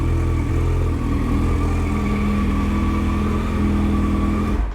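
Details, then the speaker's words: 2008 Yamaha FZ1 at its first cold idle after replacing the oil pump/water pump and the clutch: a steady, unchanging whine over an even idle. The whine persists, so the repair did not fix it, and some say the noise is normal. "And if I'm gonna be honest, just right off the bat, it does not sound like we fixed it. Still hear what sounds like to be that noise. We're gonna let it idle here."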